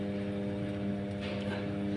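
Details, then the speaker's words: Sharp 7 kg washing machine, burnt motor smell noted, during spin; steady motor hum with a fixed low drone, drum and belt not turning; motor suspected jammed, unconfirmed. "So, sekarang time spin waktu spin, tapi ada bunyi dia bawa dia belt tak jalan."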